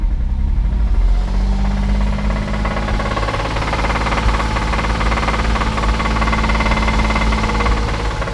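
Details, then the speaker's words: Porsche Boxster, 80,000 miles, held near 1900–2000 rpm at startup: dull, uneven bottom-end knock under the engine drone; suspected rod knock, maybe something else. Car also appears to be leaking coolant. "I hear a rod knock. So, 80,000 miles. Someone just bought this car thinking they were getting a great deal, but it don't sound good."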